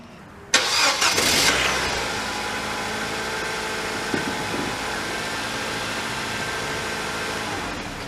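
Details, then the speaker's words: 2007 Nissan Versa 1.8 manual with the serpentine belt removed because of a seized AC compressor pulley: a short crank, immediate catch and a steady, even idle. The earlier grinding is gone. "fired up and heard real nicely"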